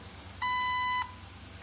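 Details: Jeep Wrangler after a "no bus" fault fix with the instrument cluster reinstalled: two clean, steady high beeps about a second apart in a quiet cab at key-on. This is the normal chime, and the gauges came back on.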